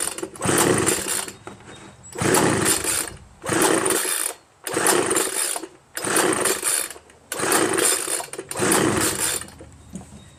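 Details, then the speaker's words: Homelite 25cc two-stroke leaf blower with spark and fuel confirmed: seven long rope pulls, each a dry whirring rasp, no firing at all; no compression from a scored piston found at teardown, so it won't start. "should have done something you know I mean some signs of it should have done some signs of it I've been pulling and pulling nothing happens not once"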